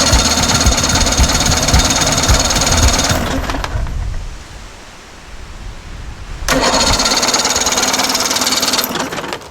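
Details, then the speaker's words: 55HP Chrysler Magnapower outboard on an abandoned boat, put in neutral so it turns over: even starter churning about four turns a second, pause, more cranking, never catches; smells of gas, no spark found; cranks but won't start. "It wants to so bad. It wants to go so bad. What do I need to do? It smells like gas now."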